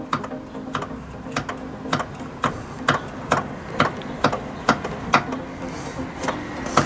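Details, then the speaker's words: VW Polo 9N3 GTI: sharp, irregular ticking and clacking, a bit over two per second, over a faint hum from a worn AC compressor pulley bearing; fix is bypassing the compressor with a shorter belt (AC delete). "that is not okay so bypassing this pulley itself should solve the issue of the noise and make the car drivable again"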